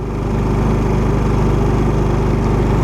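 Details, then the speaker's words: Champion 3500 W dual fuel inverter generator in eco mode, about 79 dB with virtually nothing running: smooth, steady, even low drone at about three to four beats a second with no surging. Normal eco-mode running. "79 decibels that's what we're reading under eco mode with nothing running so virtually no no noise"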